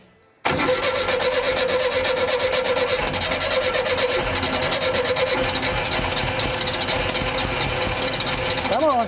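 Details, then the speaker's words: 1975 VW Shorty bus after sitting over 20 years: long steady nine-second cranking whir that never fires despite spark at the wires and extra fuel; cranks fine but won't start, plugs suspected fouled. "Man, she's so close. Really close. Here we go. All right. So close. Yep. You reckon those plugs need to be pulled out and cleaned? It could be."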